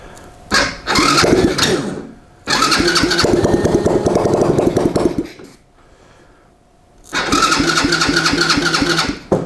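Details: Track sled build, first test start on jump box power with a smidge of ether after correcting start-button wiring: short cranking bursts, small engine fires and runs in surges with quiet gaps between tries; it starts.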